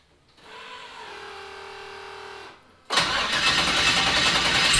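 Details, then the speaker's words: 1974 Chevrolet Nova, twin-turbo 5.3 L33 LS swap, after fuel system cleaning and fresh gas: catches quickly, strong even running with no stumbling, idle slightly high; misfire fixed; tune changes and new throttle position sensor may explain fast idle. "alright guys that's awesome fixed should run a mint the only thing is it's idling kind of fast"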